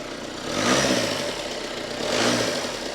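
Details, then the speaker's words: 2019 Audi Q5 diesel, crash-damaged with holed sump and seized engine, after repair, running without airbox and without coolant; even idle with loud open intake rush that swells slightly, no knocking or misfire; healthy idle. "that sounds good do you know what it's a bit loud cuz there's no airbox on it"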